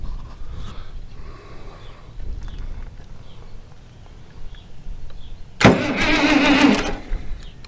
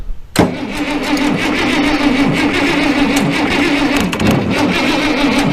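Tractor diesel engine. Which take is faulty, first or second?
first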